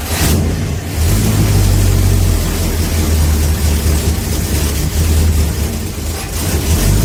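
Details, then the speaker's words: 1969 Plymouth Fury III V8, first start in about a year after exhaust and header work, with a leak pouring out the front; fires and runs strong and even with throttle blips, no misses or knocks, carburetor not yet tuned; normal running. "woo haa all right we got some success and that sounds amazing"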